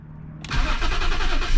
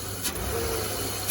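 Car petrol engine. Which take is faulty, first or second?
first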